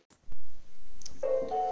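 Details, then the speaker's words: New Xiaomi Xiaowa robot vacuum placed on its charging dock out of the box: a short chiming start-up tune repeats but it never starts charging and won't pair over WiFi. Owner thinks it arrived faulty. "galera infelizmente eu acho que ele veio com um problema aqui"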